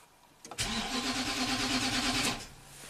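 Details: 2009 Nissan Titan V8, 130k miles, cold crank no-start after a limp-home incident and battery replacement: about two seconds of even, brisk cranking without firing. Network and fuel pump test fine.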